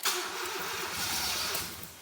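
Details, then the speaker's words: Stock D16 EK Honda Civic just fitted with a budget turbo kit, first start attempts with injectors enabled: the starter whirrs, the engine catches and runs unevenly, then dies. "oh wants to go it wants to go it's funny because the thunderstorm is intensifying outside as we get through this [Laughter] oh dude that's so close to being running a little bit of trouble"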